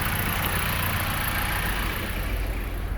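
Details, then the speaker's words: 2020 Dodge Journey, gasoline, owner thinks 2.4 engine, after spark plug replacement: smooth, steady low idle with even beat, RPM good, not shaky, no misfire; no check engine light. "RPM's really good. It's not shaky, nothing."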